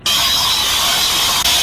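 A steady, sharp hiss with almost no low engine rumble, like air or gas escaping under pressure. Cause suspected, not confirmed.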